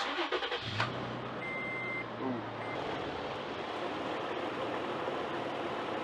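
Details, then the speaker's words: Toyota Tacoma after exhaust manifold leak repair: engine cranks, catches quickly and settles into a smooth, even idle; the earlier manifold ticking is gone, soapy-water check showed no leaks. "so as you can hear uh the ticking from the manifold is gone no longer leaks"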